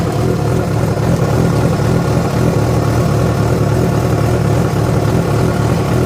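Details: Yamaha FZ6 with abnormal engine noise that began after riding about 70 km on two cylinders because of a failed ignition coil connector: dense, steady low rumble with an uneven, rough undertone throughout; cause not pinned down.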